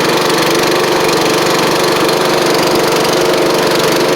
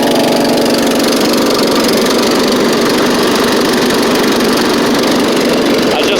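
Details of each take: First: Craftsman-traded Scotts riding mower, new drive belt, safety switches bypassed: steady fast idle with light, uneven puffing tick on the exhaust note; small exhaust leak. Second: Scotts riding mower with a new drive belt, safety switches bypassed and a slight exhaust leak: a steady, even engine drone without stumbles or knocks at constant speed, running, driving and cutting well.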